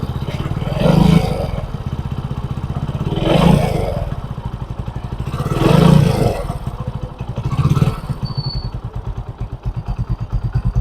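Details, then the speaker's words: Rebuilt Hero bike engine after full overhaul with genuine Hero parts and machined (lathe) engine, first run: four clean throttle blips falling back to an even steady idle with no knocks or rattles, healthy single-cylinder. "जब original parts के साथ engine जब fitting होता है ना तब उसका sound जो है वो अलग ही रहता है, यहीं पे आप देख सकते हो।"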